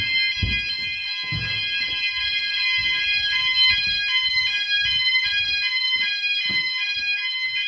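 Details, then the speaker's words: E.M.S. FirePoint System 5004 house fire alarm, smoke detector triggered, setting off every sounder plus standalone smoke alarm: shrill high-pitched tones sounding continuously with steady system sounders; smoke alarm sounding. "oh no it has got it so that triggers every alarm sound of the race obviously that one's going as well"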